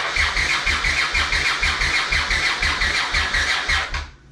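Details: 1982 Honda CX500 Turbo, unrun for 25 years, with a new fuel pump fitted but fuel lines not yet cleaned. The starter cranks steadily with no firing at all, then stops; fuel is not getting through and the injectors are clogged, needing ultrasonic cleaning.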